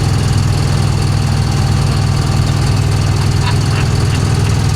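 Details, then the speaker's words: 1966 Chevy Impala, long-flooded car on its first highway drive in over 20 years: loud heavy rumble with uneven tapping about four a second, engine sounds ready to pop; cause unconfirmed. "The engine sounds like it's getting ready to pop."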